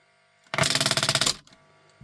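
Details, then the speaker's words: Grundig Reporter TK12 reel tape recorder, reassembled, play pressed: rapid, even rattle of about sixteen sharp clicks in under a second; the solenoid that pulls the heads onto the tape chatters instead of pulling in, cause unknown. "So this what's happening here is this solenoid here should energize pull this in. When it does that it brings these onto the heads when it's playing. But it's chattering now."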